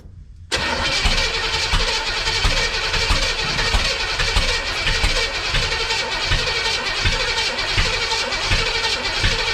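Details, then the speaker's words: 1962 Impala 350 V8 being started for the first time with ignition timing set too far advanced: long hard cranking with ragged, uneven firing that never settles into an idle. "There we go. That's way too much. A little too much timing."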